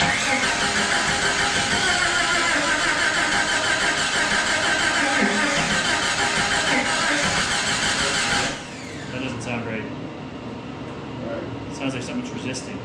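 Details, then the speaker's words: Jeep YJ (Jurassic Park replica) first start after body and drivetrain reassembly: steady cranking about three turns a second, never firing; crank no-start, ignition timing 180 degrees off. "so at this point we did go and pull out the documentation and re-verify the firing order make sure all the spark plug wires were connected in the right place the distributor cap was on the right way the rotor looked like it was aligned and working"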